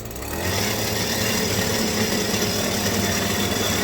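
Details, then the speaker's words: Stihl two-stroke hedge trimmer, sluggish, rattle heard, held at full throttle: it drones flat and rough, never reaching a clean scream. Bogging. "Oh, that's no good. No. That's a full throttle."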